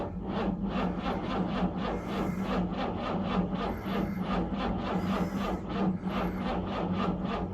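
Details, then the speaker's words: 1968 Jaguar E-type Series 1 convertible sat about two years: slow labored cranking with steady beat, choke in, throttle floored, no firing; weak battery or starter suspected, plugs to be pulled. "does crank very slowly all right not as easy as I thought let's pull some plugs"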